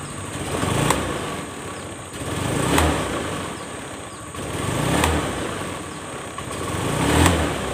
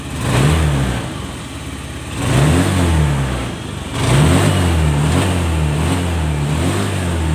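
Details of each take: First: Honda Scoopy FI injection scooter, complaint of delayed throttle and weak pull: each blip swells slowly over about two seconds and sags back, revs lag the throttle; given full service and CVT upgrade. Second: Honda Scoopy FI scooter after full service and CVT upgrade, previously sluggish with delayed throttle response: smooth idle then clean pickup on two quick throttle blips, no hesitation or bogging. Healthy revving.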